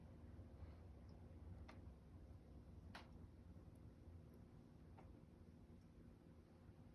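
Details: SRAM SX Eagle bicycle drivetrain turning: a handful of sharp irregular ticks every second or two over a quiet low rumble; clicking from chain, cause unclear.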